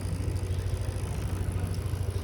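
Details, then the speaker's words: Honda Click 160 scooter under one year old, previously noisy valve ticking, after intake rocker arm replacement: low steady idle hum, very quiet, no ticking from the valve area. "So o na yung motor Ayan napakatahimik na natapos na natin doon pinalitan na natin ng rocker arm ng intake"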